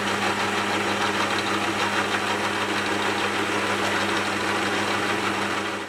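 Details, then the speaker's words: Lathe headstock gearbox after flushing and refilling with thicker SAE 30 oil (instead of recommended ISO 68): constant gear whine with a rough, busy rattle at steady speed, then winds down; somewhat quieter than before but gears still noisy, cause unconfirmed. "Well, I don't know about you, but I think that sounds a little bit better. You know, comparing the before and after, I definitely think it sounds a little bit better."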